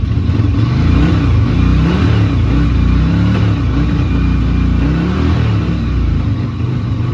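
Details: Yamaha Virago XV250 V-twin, bought as a non-runner and off the road since April 2017, started without choke, oil slightly overfilled: lumpy uneven beat, surges and sags on throttle, revs poorly; owner expects it needs carb work.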